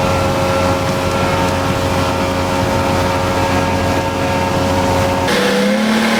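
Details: Outboard on test run at speed after a blown motor was repaired, new unstamped prop (old 3-blade 17 pitch gave 44 mph); clean even drone holding speed, then a smooth pitch shift; runs excellent, no issues.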